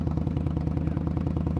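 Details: Indian Scout motorcycle after repair of a catastrophic fan failure (fan magnet broke up into shards and jammed; bearing fine), idling in neutral while watching temperature: steady, even low lope with regular pulses, no rattle, scrape or knock; running healthy.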